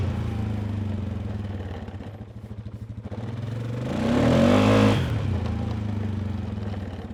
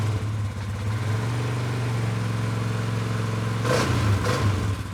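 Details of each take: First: 2019 Polaris Sportsman 570 X2 before rebuild, cold, throttle blipped: lopey idle, blips up and drops back with loose clattery edge, smoke from exhaust beyond normal cold white vapor; worn top end burning oil, needs rebuild. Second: 2019 Polaris Sportsman 570 X2 after top-end rebuild, first run before break-in: smooth even idle, two quick clean throttle blips dropping back, no ticks or knocks; healthy running.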